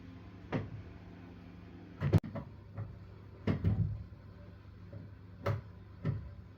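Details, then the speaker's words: Boiler with no heating or hot water, flow temperature rising fast, flow pipe hot and return pipe cold: low hum broken by irregular heavy bangs (kettling), caused by a closed gate valve on the return pipe. "you know the while ago the temperature was Rising really high and and there was no Heating and no hot water and the boiler it was banging flow pipe was hot WR pipe was cold"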